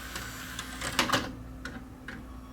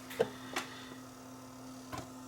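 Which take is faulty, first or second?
first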